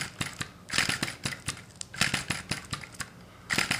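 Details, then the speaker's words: Sai Hu V1-45 flame-licker vacuum model engine on denatured alcohol, hand-cranked to start: irregular sharp clicks and ticks in uneven bursts as it catches a few strokes and then falters, still not running. "now it's just the process of continuously cranking this"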